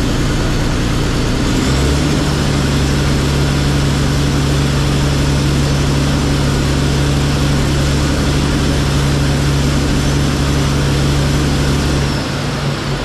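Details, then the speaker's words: Komatsu D85E bulldozer diesel after rebuilt injectors and a valve set, fixing a half-miss on #5 cylinder: loud idle with a low, slightly uneven beat and a steady drone, now on all six cylinders but not smooth; owner suspects slightly retarded timing. "I'm not totally impressed with the way it runs, but that being said, at least it runs on six cylinders now. It sounds like maybe the timing is a little bit retarded."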